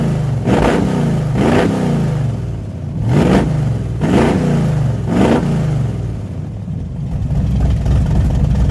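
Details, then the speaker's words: V-twin hot rod race mower tractor on used spark plugs, one plug wire touching the header, raw gas smell: uneven lumpy beat with loping surges about once a second and a ragged exhaust; misfire, owner suspects it is down a cylinder. "sounds like it's down a hole but I got spark plug wires I got one of the wires like right up against the header sounds like it might be down a cylinder"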